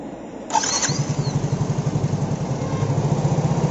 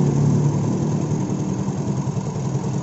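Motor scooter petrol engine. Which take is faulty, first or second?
first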